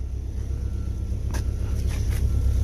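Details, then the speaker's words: Old Willys with an F-head engine and a muffler, on its first try at running and being driven into the shop: a quiet, low, muffled, even idle under wind noise, with no knocking or missing. It runs fine. "okay we're in the cockpit of our wheelies doesn't run too bad"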